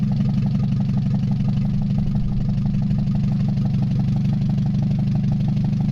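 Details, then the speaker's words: Mazda 626 first start after cylinder head reassembly, oil overfilled, exhaust not fully connected, warming up: rough, lumpy idle with a dull repeating knock and heavy shaking; knock and vibration at idle, cause unknown, owner suspects old gas, bad EGR or O2 sensor. "a lot of vibration going on there [Laughter] that's a lot of vibration"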